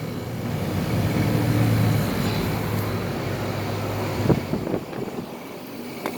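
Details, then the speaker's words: SoleusAir ductless heat pump outdoor unit starting in cool mode, suction line cold: steady low compressor hum with a faint rattle of unknown source; compressor runs normally. "Compressor sound. Sounds good. I don't know what that rattling is, but it's working."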